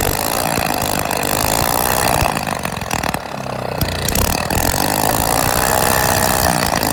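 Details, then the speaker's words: Old engine that had not run for years, started using a drill, running with the exhaust removed: very loud, raw, crackling roar with a steady fast beat and no muffling. "Gage oh it sounds like a beast shut her off this switch right here"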